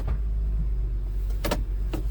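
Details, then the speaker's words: 2003 Honda Pilot that would not shift out of park, after replacing a sticky brake light switch, at idle: two crisp clicks as the brake is pressed, the shift lock releases and the lever moves freely; normal. "I hear the click that might be like a the the column lock or like the shifter so annoying and then now yep I can do it"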